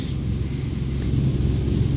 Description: noise complaint on an ERV, some slight bearing issues along with misaligned, loose belts, and debris in the blower wheel causing a bad vibration in offices below.